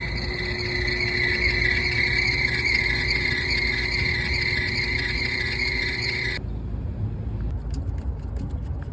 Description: During this service call, we diagnosed a rooftop unit that was making a loud squealing noise. After inspection, we found the issue — a worn and failing V-belt.